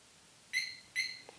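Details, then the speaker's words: Harley-Davidson Smart Siren II (68328-06A) on a 2021 Road Glide Special, being powered off. Two short, bright, high-pitched chirps about half a second apart, confirming it has armed. "i'm going to go ahead and i'm going to power this on so you hear the chirp and then we power it off and it's going to chirp twice"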